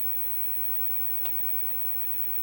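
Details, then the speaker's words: Fenton Weill Bass 15 valve amp, EF86 preamp: constant soft hiss with no hum or rhythm and one small tick, unaffected by volume or tone controls; failed cathode decoupling capacitor (3 V across it), hiss vanished when a temporary capacitor was clipped over it. "I would suspect the is is caused by this cathod decoupling capacitor let me just grab a a capacitor"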